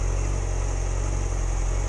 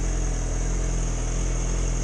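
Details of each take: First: 2006+ Yamaha R6 idling on a stop before warming past about 160–170°F, worse in cold weather: low, uneven idle wavering then stalling. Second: 2006+ Yamaha R6 idling steadily with an even low burble and no stumbling, after the fix for dying at idle below about 160–170°F; it now idles well.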